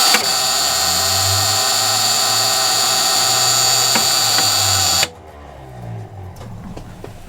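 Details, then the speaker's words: 42-year-old bus on a slightly cold day, first start attempt: steady high-pitched starter whirring whine for about five seconds with no firing, then it cuts off. The owner says it is the same sound it once made at a gas station. "That doesn't sound good. Doesn't sound good. No, will you come? That's that sound it made that one time at the gas station."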